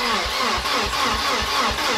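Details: Volvo 740 with newly fitted swapped engine, first start attempts: steady cranking thumps about four per second, engine never catches; no start.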